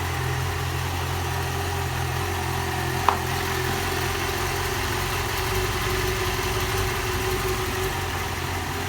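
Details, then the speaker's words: Yamaha XJ6 600cc motorcycle, 2015, 22,000 km, idling: steady idle with a light metallic clatter, owner suspects the cylinder head; noise was absent when bought and has grown; a mechanic calls it normal, owner disagrees. "eu comprei a moto não tinha o barulho foi aumentando e agora está assim desse jeito"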